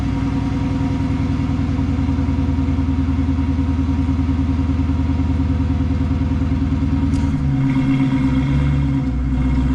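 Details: 2013 Dodge Charger Pursuit after a mid-muffler delete kit install: deep, loud, even exhaust burble at idle with a rev blip near the end, no rattles; healthy throaty note.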